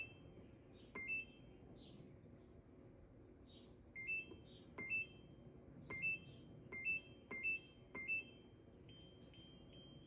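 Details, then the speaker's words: Incubator control panel being set for pheasant eggs (left turner, turn every 3 hours): short high double chirps as settings are stepped through; ordinary panel feedback beeps and alarm sound setting. "And then this is just an alarm. Cool. I ain't figured that out yet."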